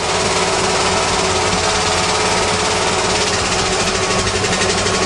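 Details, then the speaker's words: 1935 Mercedes after seven years stored, first start on gas: rough, uneven multi-cylinder run with a lumpy, stumbling beat, seeming to run on only four or five cylinders; misfire, cause unconfirmed, spark plugs suspected. "that's all gas it sounds like it's only running on about four or five cylinders"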